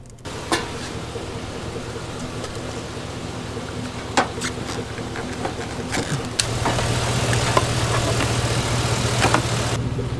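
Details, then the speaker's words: Lifted Bullnose Ford V8 after a carburetor clean and rebuild, first start after sitting almost 4 years; steady, even low rumble with no misses or knocks, described as probably the best it has ever run, normal idle. "just like that started right up and honestly I have to say it's probably the best the Ford has ever ran"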